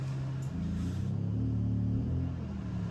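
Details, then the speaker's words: Honda 2200 W generator, eco off, running Furrion AC on a 265BH trailer without soft start: low drone rises to higher steady pitch as compressor kicks in; owner feared it tripped but it keeps cooling. Revving up under load. "You hear it just kicked in, and it may have tripped. I don't know."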